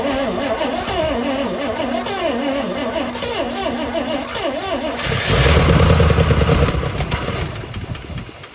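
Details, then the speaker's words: 1961 DeSoto revived after sitting for decades: uneven stumbling run with ticking, then loud irregular pops; backfires horribly, owner thinks the points need adjusting again (retarded ignition timing). "Okay, well, it ticks and yeah, it backfires horribly. Probably need to adjust the point"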